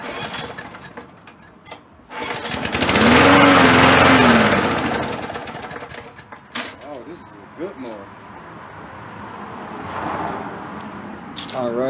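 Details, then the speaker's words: Briggs & Stratton mower engine, cold start at about 50°F, dirty oil, starts without priming: catches and surges for a couple of seconds, then sags and dies with ragged coughs; carburetor issue. "so it's starting definitely a carburetor issue"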